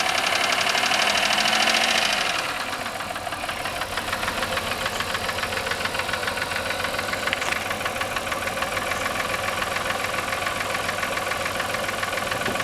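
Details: 1996 Voyager's first start after sitting three years, with fresh gas, oil, oil and air filters, distributor reconnected: loud start-up burst then idle with a steady light knock about three times a second; cause unknown.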